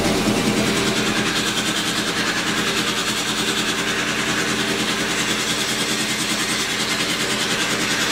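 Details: Normal running of a 1942 Cleveland 8-268A inline 8-cylinder two-stroke Roots-supercharged diesel generator engine, USS Stewart engine room, first start in 72 years: steady even beat about three pulses a second, loud blower rush, no knocks.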